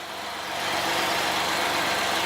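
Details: 2003 Ford Escape after replacing a broken exhaust manifold bolt and gasket: even, steady idle with a smooth rhythm and no puffing or ticking at the manifold; no exhaust leaks, clean and healthy.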